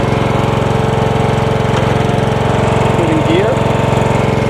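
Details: John Deere 160 lawn tractor with single-cylinder Kawasaki engine, clutch pressed just after starting: small single-cylinder thumps at an even, steady idle with no knocks or misses; engine healthy, though the cracked transaxle leaves the tractor unable to move.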